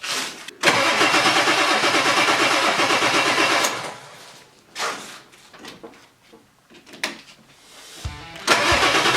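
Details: 1997 Ford 7.3 Powerstroke diesel after replacing O-rings on all eight injectors: long steady cranking with pauses, no firing; lots of air in the fuel system, battery possibly running low. It later coughs and starts.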